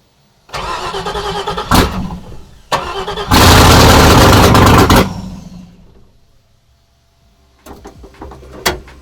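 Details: 5.3 LS V8 swapped into a YJ Jeep Wrangler on stock truck harness and fuse block, not its very first start: a few seconds of cranking, then it catches, flares to a hard rev and settles; clean, healthy start.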